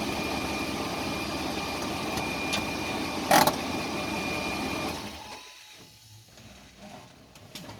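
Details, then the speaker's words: After transfer case rebuild with correct Mopar 247 oil, bad progressive clutch replaced; steady, even vehicle drone with no whine, grind or clunk, very quiet; normal transfer case operation. "Sure is quiet. Yep. So after a transfer case rebuild, gonna call this one good."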